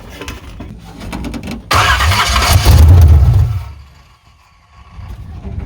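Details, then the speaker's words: 1985 Chevy C10 with a high-compression 383 stroker small-block, big intake and TH350, first start after 10+ years: the engine catches with a deep rumble for about two seconds, then dies, pointing to the carburetor bowl running empty and starving it of fuel. Owner says it's just thirsty. "Okay so pretty much like I figured she's just a thirsty old girl that's pretty much all it is"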